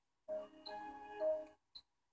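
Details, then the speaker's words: Samsung LN37A550 37-inch LCD TV (2008) stuck in startup cycling: bright startup chord cuts off then a faint tick, about twenty seconds per attempt; main-board fault, commonly a tantalum capacitor (47 µF 10 V) and MP2363 chip. "this is our fifth attempt it's about twenty seconds each time it tries"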